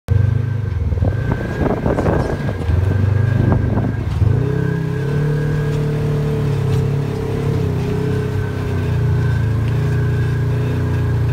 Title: Belt squeal with DuraClutch 1